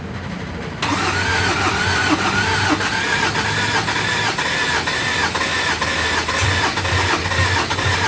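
Starter kicks in and keeps turning the engine over evenly for seven seconds, but it never fires or catches: cranks, won't start.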